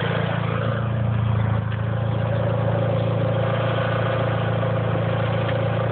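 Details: 2G DSM Eclipse at idle, recorded under the car; light quick tick about four per second over a low drone, owner suspects lifter tick above the valve cover, underside noise unidentified.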